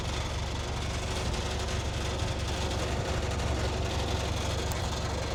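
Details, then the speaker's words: 2017 Range Rover Evoque diesel at idle with a loose, buzzy exhaust rattle because the exhaust mounting nuts have pulled through. Planned fix is larger washers under the nuts. "It's no big panic, but it's very, very annoying that rattle on the exhaust. And it's just they all pull through."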